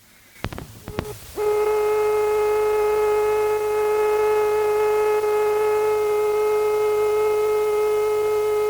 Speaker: and finally here the dial tone ring tone and busy tone of a packs fitted out with a transistorized turn generator